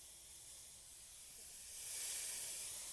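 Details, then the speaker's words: HVAC charging hose connected but only cracked very slightly at the fitting to purge air before charging; soft steady hiss swelling a little until liquid refrigerant appears, then closed. Normal purge. "And you can see all that liquid refrigerant coming out. I'm I'm perched. So, I cracked it a little bit. Once I see liquid refrigerant, you close it."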